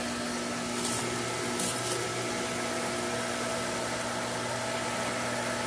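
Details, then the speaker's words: New pool pump motor with an added coupler and its 230/115 V switch set correctly, on its first start. It runs with a quiet, even hum, no rattle or grinding: normal running. "And this is the moment we've been waiting for. It's so quiet, actually."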